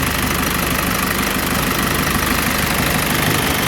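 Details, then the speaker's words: 2005 Isuzu NPR diesel after engine rebuild, warmed up at idle; rough, loud idle with uneven chuffing pulse about three times a second through the breather, same pulses in cooling system and milky oil; excessive crankcase blow-by, owner suspects cracked block or head gasket. "So, I'm getting the same pulses in the cooling system as I am the crank case."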